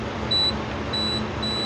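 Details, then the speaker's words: Suzuki Samurai door alarm buzzer, engine off: short high-pitched beeps repeat about every half second because the door switch wire's electrical tape tore when pushed through the hole, grounding the wire again. "I thought it would ground wouldn't ground out and quit working and now I touched it now it's going off so we'll have to figure that out okay it looks like I uh when I wrapped the tape around there and then pushed it through the hole and then moved it it tore the tape so it ground was grounded again"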